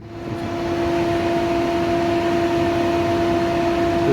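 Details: 1998 Jeep Cherokee original radiator cooling fan, recorded outside the vehicle before replacement, owner notes cabin vibration and overheating: steady mid-pitched whirring hum with airflow rush; tone has changed over the years and is quieter.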